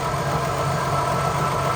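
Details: Holden HQ one-tonner off the road 29 years, with smoke from the breather tube and no accelerator pump. Even, settled idle with a steady low drone and no misses or surging: the engine idles cleanly.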